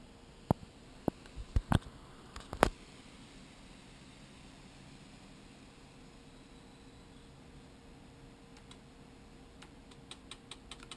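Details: Sigma 10-20 camera lens: sharp irregular clicks, then a run of faint quicker ticks over a quiet hum; no solution found yet.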